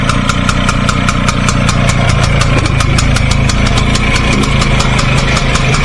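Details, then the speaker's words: 1953 BSA Bantam D1 two-stroke, thought to have been restored in 2018, started with choke and fuel on, exhaust pointing out of the garage: crisp, even ring-ding settling into a steady idle, firing regularly with no misses; healthy engine. "I'll start it up actually, give you an idea what it sounds like if you haven't seen the previous video. Right, I've just moved the bike around a bit so the exhaust is pointing out of the garage. Choke on, petrol on."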